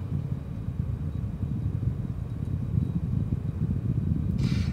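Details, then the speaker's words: Be Quiet! Dark Rock Pro 4 CPU cooler on Intel i7-9700KF, case fans off, after fixing idle ticking: steady low fan whir with faint thin tones and power supply fan, no ticking; normal. "you get a steady it doesn't take any more wait wait neither it doesn't make that annoying noise anymore"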